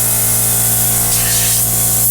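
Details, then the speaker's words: Dodge Ram Mega Cab diesel losing power and dumping boost, charge air system pressure-tested at about 10 psi: steady airy hiss over the idling diesel; boost leak from a worn or missing charge air boot. "i'll eat my words on that one a little bit because i did not expect it to be a boost league"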